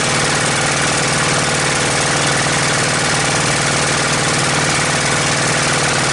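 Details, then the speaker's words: Honda GX630 engine on trailer pressure washer, vacuum gauge attached, fuel pump confirmed working: loud clatter with uneven wavering beat about once a second, hunting rather than holding speed; cause not confirmed. Engine surging. "H she was teetering quite a bit there"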